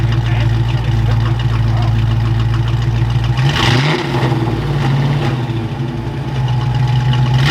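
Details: Fox-body Mustang V8, just revived after sitting, timing reset roughly: uneven loping idle, stumbles and won't rev cleanly; dead cylinder because an injector plug was left unplugged after voltage testing.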